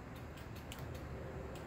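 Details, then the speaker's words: 2007 KLR 650 motorcycle, no-start: starter relay clicks quickly several times a second while the starter stays silent; relay gets the start signal but starter doesn't turn, diagnosed by voltage drop test. "now we can hear the relay down here it is clicking and if you if you put your hand on it you can feel it clicking so we know we know we're getting a signal for it to start but the starter is not turning over"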